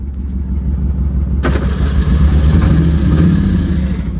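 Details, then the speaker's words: 2000 Chevy Silverado 2500 ex-plow truck, 6.0L LS, 5-speed manual, 4WD, tried in gear in every transfer case range: engine flares to a high roar without bogging or pulling down, as the burnt clutch slips completely; clutch slipping. "That's all clutch. It does it in four, two, four high. That is all clutch."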